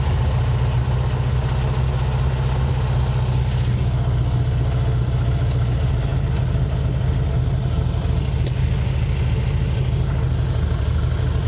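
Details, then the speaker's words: 1968 VW Fastback with dual carbs, just tuned via the volume control screws: a steady, even low rumble at idle with no misses, running well though idle is slightly high and due to be turned down at the main idle screws. "So, they're a little high idle, so I'll probably adjust that down, but it's honestly running really good as is."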